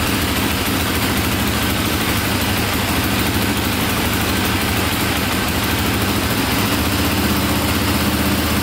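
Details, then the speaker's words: KTM 450, possibly dual sport, idling after a carburetor fix, owner suspects an overheating problem; quick even single-cylinder thump, steady idle, no misses, plus a click when it stops that owner attributes to a failing starter one-way bearing. "sounds good there's a little click in there at the end i think that's the one-way bearing going so we'll definitely order up one of those you can hear it when it stops it clicks and that's the one-way bearing going"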